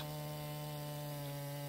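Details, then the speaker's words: Husqvarna 445 chainsaw, 16 years old, after replacing the clutch, clutch drum and bearing, and oil gear pump: steady, even high-revving buzz with no stumbling or rattles. It now runs normally and the loose chain and chain-spinning problems are fixed. "now the chainsaw works great now doesn't have any of those other issues so this definitely fixed it"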